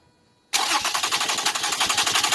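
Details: 2007 Toyota RAV4 3.5L V6 no-start, no RPM signal: even starter cranking at about ten pulses a second, no firing; crank sensor wires were ripped out of the plug when the alternator was removed.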